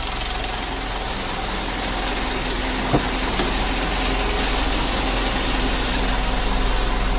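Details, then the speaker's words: Mitsubishi Pajero Sport Dakar, about 2012, diesel, after removing, cleaning and refitting the turbo that caused a rough rattling engine noise: steady drone with a faint clean turbo whistle, no rattle or scraping; turbo no longer noisy. "mungkin untuk suara turbonya sudah tidak Berisik lagi ya gitu Yang Lalu kalau dikasih itu suaranya kemrecek gitu loh di turbonya ya Jadi untuk suara turunnya sudah bagus sekali"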